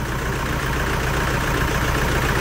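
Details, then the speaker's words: 2011 Toyota Hilux 2.5 diesel, lacking power: low idle with an uneven, lumpy beat and no clean rhythm, misfiring from rotten, contaminated diesel; scan showed a pump valve code, and injectors, pump, lines and tank need removal and cleaning. "isso que você está vendo na tela é um motor diesel falhando Hilux"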